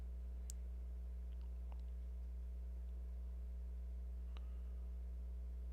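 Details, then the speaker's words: Klipsch RSA-500 subwoofer amplifier on the bench. A 30 Hz test signal gives about 10 V RMS output: a faint, steady, very low hum with no crackle, buzz or dropout and a clean sine wave. "we're at 10 10 volts rms roughly it's got a really nice clean sine wave"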